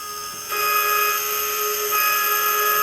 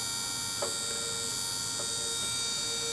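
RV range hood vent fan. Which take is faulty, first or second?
first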